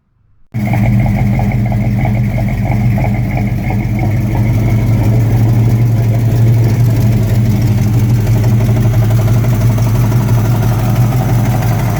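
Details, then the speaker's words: V8 S10 truck with 355 small block: loud idle with a fast puffing tick, about three per second, over the rumble; a driver's side exhaust header leak. "Hear that header leak. Driver's side."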